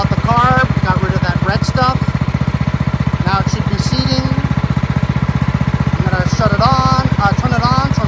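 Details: Marching band hauler small engine after carburetor cleaned of red residue and fuel lines, filter and shut-off replaced; steady even low thump at a fast regular beat, no stumbling, surging or misfire; normal running.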